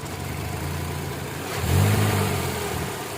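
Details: Kia Optima petrol engine idling and blipping with an uneven stumbling low beat, a misfire with a fault code from an ignition coil that is not working.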